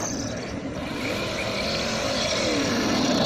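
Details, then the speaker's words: Losi Baja Rey RC truck, stock motor and ESC on 2S LiPo: a high, scraping screech rising in pitch with throttle over the motor whine, from gravel caught in the rear drive cup. Left uncleared, it damages the cup and overheats the drivetrain. "that screechy noise is coming from all the gravel and you need to clear that out, if not you'll damage the drive cup."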